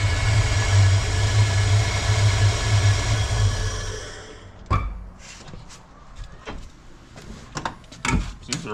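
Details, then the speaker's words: 1987 Ford Mustang 5.0 LX V8, low mileage, with an exhaust leak, no water pump fitted and OEM take-off mufflers; fired up right away; deep, even idle with no knocks or misses, possibly a mild cam, before shutting off; normal idle. "Seems to run all right. >> I think the engine sounds solid."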